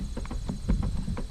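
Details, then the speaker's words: Chevy Trax / Buick Encore liftgate lock actuator: pressing the button gives quick, irregular soft clicks, several per second, over a low hum as it tries but fails to unlock; actuator suspected. "reason why I think it's the actuator is because you push the button you can hear it trying to work"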